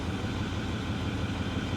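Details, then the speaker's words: Ford F350 Power Stroke diesel salvage truck idling with a low, uneven chug whose stumble clears then returns; intermittent misfire, more noticeable under load; owner suspects a spark plug or coil pack. "it's not misfiring now that's weird it cleaned right up wait wait wait no it's coming back so it's intermittent"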